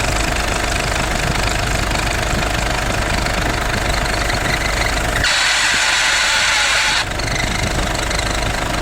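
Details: Idling engine gets noisy when the air conditioning is switched on: uneven ticking about three beats a second plus a loud hiss for a couple of seconds. Cause unclear.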